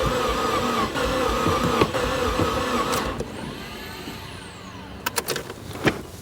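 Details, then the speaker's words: 2008 Subaru WRX bought as non-runner, first start attempt with makeshift battery connection not fully seated: sluggish even cranking chug about four beats a second, never catches; slow crank no start, owner suspects low compression, fuel or spark possible. "sounds kind of like low compression, maybe. Yeah, it sounds like low compression. It sounds like it wants to go."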